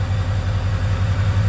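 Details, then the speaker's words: 2003 Ford 6.0 Powerstroke diesel at idle, oil 70°F, FICM 44–48 V, ICP 0.23, IPR 14.8: low lumpy uneven beat, misfiring with no check engine light; earlier balance test showed cylinder 1 dead; weak FICM suspected. "actually started way easier than it should have but you can hear the misfire [Laughter] it's misfiring for sure"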